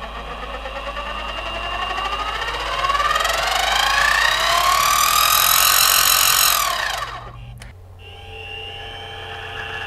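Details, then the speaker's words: Central Machinery mini mill with Little Machine Shop belt conversion and transmission gears removed: smooth whine climbing in pitch as the spindle spins up, then clean cutoff, no gear chatter, even quieter; normal belt-drive running. "I just pulled these out and I'll show you how quiet it is now beautiful"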